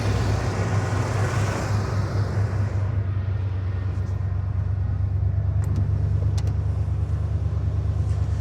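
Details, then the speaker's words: Truck with 179,000 miles, sitting for years, started by jumping the starter solenoid posts: fires right up into a deep, even, steady low rumble with no knocks, misses or squeals; normal idle. "Just like that, it's running, which is wonderful. So, this truck's been sitting here for years. Fires right up. Sounds like a good one to me."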